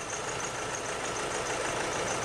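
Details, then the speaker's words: 2008 Nissan Navara D40 2.5 common-rail turbo diesel, rough running, black smoke, no power cold: uneven stumbling idle under loud hiss from a cylinder misfire, before dropping cylinders one at a time via G-scan power-balance test. "As you can see, it's running quite roughly. Definitely have a cylinder miss."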